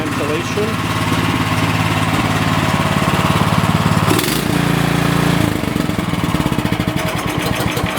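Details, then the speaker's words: Cub Cadet snowblower engine, after new OEM carburetor (MTD 651p05995) for only-runs-on-choke problem, started on choke and primer: catches, steady even beat with clean throttle change. Normal running after repair. "there we go. All is good."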